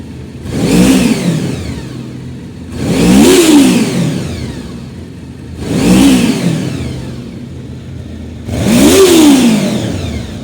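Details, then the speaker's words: Honda VFR 750F motorcycle, warm engine after reassembly: four clean throttle blips roughly every three seconds, pitch rising and falling smoothly with no knocks or rattles and no smoke; healthy. "Дыма нет. Все отлично."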